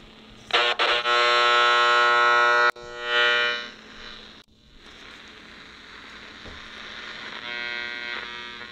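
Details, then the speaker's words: AM radio held near a Cree LED bulb: harsh buzzing hum with evenly pulsing edge, fairly noisy up close, fading to no issue about 3 feet away; LED bulb radio interference. "well it was fairly noisy up close but 3 feet away no issue at all"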